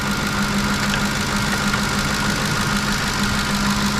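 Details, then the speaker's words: 2010 Ford F-150 5.4 L V8 idling after alternator and serpentine belt replacement, charging 14.6 V: steady idle, no squeal or chirp; owner believes earlier squeal was the old alternator bearing. Normal idle. "So we're chugging along. No more squeaks, no more squeals. Must have been the bearing of the old alternator."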